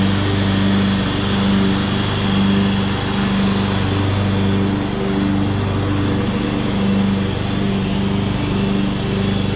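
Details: 2014 Ariens (Husqvarna) 42-inch-cut riding mower, revived from scrapyard parts machine, cutting grass under load: steady, even engine drone with faint regular pulse, no knocks or misses; runs healthy, only needs a couple of small things.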